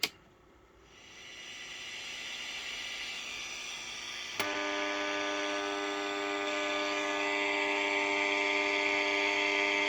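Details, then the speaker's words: Unitra Eltra Alicja R-701 radio on long wave, reassembled and first powered up: only a steady low mains buzz over hiss and no Warszawa I station; the potentiometers also need cleaning; long-wave reception not working. "niestety nic poza buczeniem nie jesteśmy w stanie usłyszeć"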